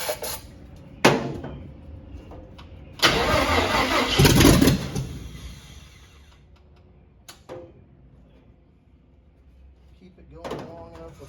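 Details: Carbureted cab-over van conversion engine fed from a fuel can, battery weakening. Short cranking bursts with pauses, no start; no fuel is being pumped, and the owner suspects a clogged filter. The battery then dies and needs charging.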